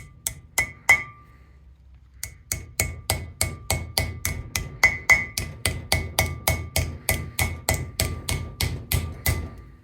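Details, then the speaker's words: 1971-73 Mustang/Cougar wheel bearing replacement: grease seal driven into the hub with a hammer instead of the seal tool. Steady hammer blows, about three a second, ring with a sharp metallic tink, meaning the seal is fully seated. "Now, the seal should be all the way down. When you hear that tinking noise, it means it is good to go."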